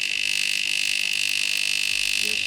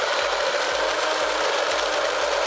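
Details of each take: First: DeLonghi Magnifica EVO coffee machine, which would not draw water: loud, harsh steady high-pitched pump buzz; the pump sucks air through the flowmeter because its seal was missing. Pump drawing air. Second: DeLonghi Magnifica Evo grinder set finer: steady gritty grinding with a pulse about four beats a second, running longer (about six seconds); grinder working normally.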